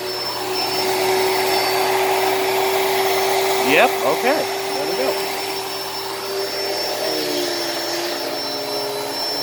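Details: Hoover Elite Cyclonic S3825 canister vacuum, first run after new brushroll belt fitted; steady even motor hum, constant mid tone, brief handling knocks, brushroll agitating, good suction. Normal running.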